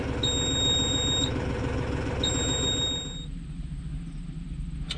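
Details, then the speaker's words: Mahindra 6065 tractor, at about six hours, past the five hours when it was rumored to stop: two long high beeps two seconds apart over a low engine rumble; service-due reminder alarm still sounding before reset. "okay there it is that annoying service reminder beeping uh i heard a rumor that after five hours it automatically quits so i'm now six hours ish passed and uh she's still making noise"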